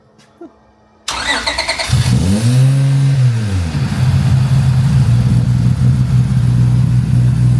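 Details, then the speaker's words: J35 V6-swapped Honda EG Civic drag car after start: flares then lumpy loping idle, sounds like three cylinders firing though it sounded V6 at first start; already hot, owner suspects an idle issue. "Three cylinders again. Oh, that sounds weird. But it sounded V6 when it first started."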